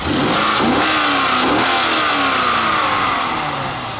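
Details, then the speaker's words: 2000 Corvette C5 LS1 345 hp V8, 96,591 miles, 40 psi oil pressure, on automatic transmission: crisp blips climbing and falling smoothly, no knocks, ticks or leaks; healthy engine. "this engine is in top shape with no NOx or ticks or leaks we'll go ahead and rev it up here"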